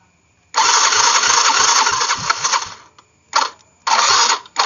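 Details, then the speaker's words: Yamaha Mio fuel-injected scooter, after earlier total no-power fault and code 42, on restart: starter whirs in short uneven bursts, turning sluggishly without catching; battery found weak, so kick-start used instead. "Ternyata akinya lemes ya. Kita tes di engkol aja."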